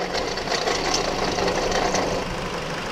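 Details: 2007 Hyundai Sonata at idle: sudden loud, fast, uneven metallic chatter, roughly three to four a second, that later went away; with belt removed the alternator proved to be the source, smelling of burnt wiring; replaced alternator and belt, now quiet.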